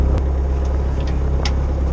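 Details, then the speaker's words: CAT 304 CR excavator after fixing intermittent starter fault caused by wiring: steady, even low diesel drone at idle with no misses, knocks or rattles; running normally. "the excavator back up and running a wiring problem all sorted and yeah i'm very very happy now that we've got it all resolved"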